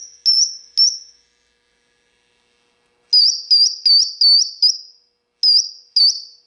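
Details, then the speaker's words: Marshall JCM2000 TSL602 60-watt 2x12 combo amp under repair: high, pure whistle near 5 kHz in short repeated bursts over silence, with presence on 10; suspected amplifier oscillation, not confirmed. "Yeah, it sounds like some kind of oscillation to me."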